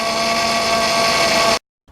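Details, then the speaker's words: 2008 Honda Odyssey Touring with roughly 150,000 miles. A loud, steady, high whine with clear fixed tones comes from the worn power steering pump, which is being replaced with a rebuilt unit. "was saying that's the power steering pump that's gone bad and I've got a replacement"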